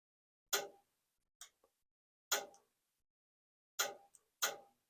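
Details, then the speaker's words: Whole-home humidifier solenoid valve, disconnected from its supply and powered by a power tool battery: single crisp clicks a second or so apart, no water flowing; clicking means the valve opens and is good. "so we can hear it clicking there's no water running for it if you hear the clicking sound then you know the solenoid valve is still good"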